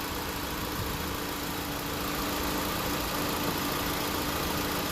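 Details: 2016 Honda Civic on R1234YF, refrigerant added on the low side until the compressor kicked in and pressure dropped: steady even idle with smooth compressor hum, clutch spinning, condenser fans on, no knocks or squeals; AC compressor running normally.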